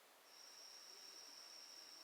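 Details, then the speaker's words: Honda Recon 250 ATV carburetor, off the machine, that was leaking fuel, possibly from an overflowing needle; air blown through a hose gives a thin steady high whistle, showing the float needle valve open and passing air. "I don't know if you can hear that. There's air coming out. If I'm blowing in it this way, there's a little hole there, but there's air."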